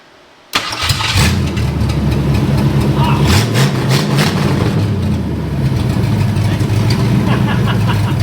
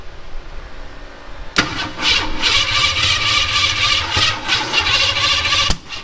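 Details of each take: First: Long-stored 1972 Ford Maverick with no exhaust fitted, carb primed with fuel: cranks and catches quickly, loud slightly uneven open-exhaust idle with some popping; runs on the corrected original firing order. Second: 1972 Ford Maverick with points distributor: engine cranks with an uneven, struggling rhythm for several seconds but never catches; distributor out of time.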